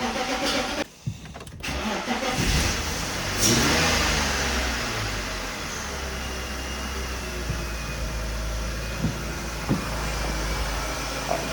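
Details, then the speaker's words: BMW E46 323i drift build, first start after replacing fuel-system parts (fuel rail had been about 10 psi low), no starter fluid, gauge on rail: cranks, fires right up and settles to a steady even idle; healthy start. "right guys it fired right up let's see what it's at oh man check that out check that out super exciting and it's staying running too I didn't put any starter fluid in it"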